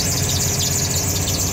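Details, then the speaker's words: LS-swapped Mercedes, first start after fitting corrected throttle body: high steady shrill squeal over the idle right after startup, from the worn serpentine belt and tensioner, which were squeaking before and are due for replacement. "There's our belt squeak. We had that before, tensioner and belt. We're gonna be doing that next, but yeah, no, we're good."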